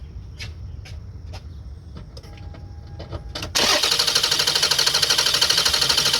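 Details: Toyota Sienna that won't start (noid light and spark checked, good spark and fuel later found): steady, even cranking at about three turns a second that never catches. Extended cranking with no start.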